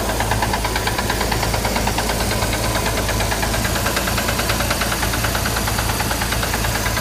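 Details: Chevrolet Corvair air-cooled flat-six idling with a steady, rapid metallic knock throughout; owner asks whether it is rod knock, cause unknown.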